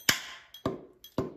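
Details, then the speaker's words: Mopar Hemi engine on an engine stand, valves tapped to check whether they are free; three sharp, dead taps about half a second apart with no springy rebound; the valve is stuck. "you can hear them ooh that one sounds hard yep that one's stuck ooh that one bounced back"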